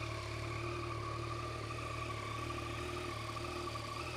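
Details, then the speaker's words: 2015 Yamaha MT-09 Tracer 900 three-cylinder at idle: smooth even hum with a clear high whistle, less pronounced than some Triumphs; sounds healthy. "have a listen to this that's got a really nice whistle but it doesn't seem to have that overthe top whistle that some triumphs can have as"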